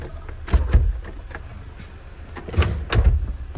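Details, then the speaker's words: Copart UK salvage car, 80,219 miles, engine running: pairs of dull clicks and thumps from the door, a harmless click these doors always make; normal. "These doors always click like that."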